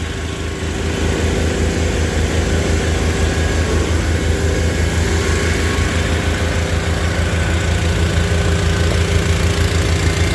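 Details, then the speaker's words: Tractor engines cold-started after a mid-20s °F night (20-50 and 5-40 oils): deep, steady low chugging with an even beat on a third-to-quarter choke, no stumbles or stalling. Normal warm-up idle. "I leave the chokes on about a third a quarter uh for 30 seconds to a minute let them warm up there's no stumbling there's no stalling"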